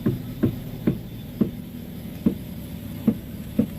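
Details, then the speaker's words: Car with front wheel noise when turning: dull hollow "tek tek" knocks, about seven in four seconds, from a dry, worn inner tie rod joint as the steering turns. "Oke. Nih itu bunyinya ya, Teman-teman. Bunyinya tek tek."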